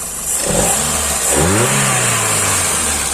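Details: Hyundai i10 CNG car after replacing spark plug and broken plug wire for misfire and poor pickup: engine revs up twice cleanly, pitch rising smoothly without stumbling; problem solved.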